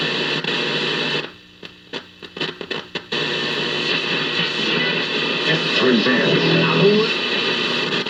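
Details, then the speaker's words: 1951 General Electric model 404 six-tube radio after replacing two filter capacitors, no external antenna: steady hiss with stations swelling in and out as the dial moves, receiving properly: normal reception. "so it is receiving it is working so just those two capacitors have brought this thing to life and it's actually receiving not bad for no external antenna"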